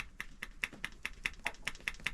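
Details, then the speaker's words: Yanmar 3GMD marine diesel manual fuel lift pump: crisp, evenly spaced clicks about five per second as the lever is pushed fully in, cam-type action, operating normally. "make sure to push it all the way in when moving it, and you should hear the clicking sound because it works like a cam."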